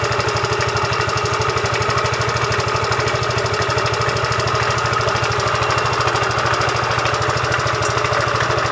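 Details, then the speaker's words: Yamaha Fino 125cc fuel-injected scooter idling before repair: rough, harsh idle with a fast, uneven clatter about three ticks a second. Engine is very rough-sounding yet runs without power loss. "Ya itu ya, suaranya lumayan atau kadang ada klotek-kloteknya juga."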